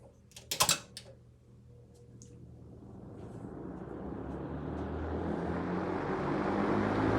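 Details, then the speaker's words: Fasco Arctic Aire Model 200 box fan, almost 50 years old, heard from about 6 ft: clicks at the switch, then the motor spins up on low speed into a steady, loud rush of air that sounds like high; normal, loud by design. "now the reason why these didn't last long is because they are very loud like this is low speed and it sounds like it's on high but the air performance is actually quite nice"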